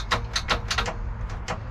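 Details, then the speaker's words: 1996 MerCruiser 4.3L V6 in a 1996 Wellcraft boat, unused 18 years and seized, being freed: short irregular bursts of starter whirring that cut in and drop out while the engine does not turn; intermittent starter engagement. "oh there it went out again sounds like it's kind of intermittent"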